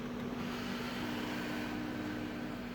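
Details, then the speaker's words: 2005 Audi A8 sunroof wind deflector motor after fix: paper wedged between motor and brace to take up tolerance; smooth steady motor hum with even tone, no grinding or rasp; deflector noise gone. "if you take that piece of paper and wedge it between the motor and your brace you can reduce or get rid of the noise"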